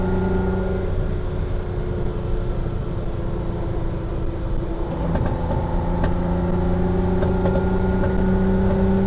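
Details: Ferrari 330 GT 2+2 on a test drive with fuel at half a tank and carburetors not yet fine-tuned: steady mid-throttle drone with sharp, irregular pops and spits; popping under acceleration, cause not confirmed.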